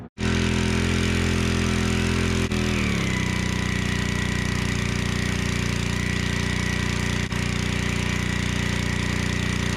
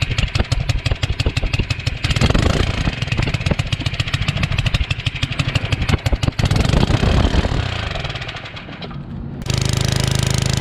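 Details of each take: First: Generac 01292-2 pressure washer after carburetor replacement, pump bearing replacement and new oil: engine catches at once, settles into a steady even drone, no knocks or misses; works well. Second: Generac 01292-2 pressure washer small engine: uneven chugging that surges, slows and fades out near nine seconds; it runs weak, not at full power, and stalls, cause unconfirmed.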